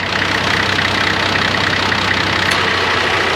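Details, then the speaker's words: Nissan GQ Patrol A/C compressor, with metallic paste found throughout the gas; fast rattly chatter about four per second over steady idle, compressor chattering from metallic contamination. "And the reason why I'm playing around with this compressor is because we had like a real metally paste throughout the gas and it was making a gangster chattering noise."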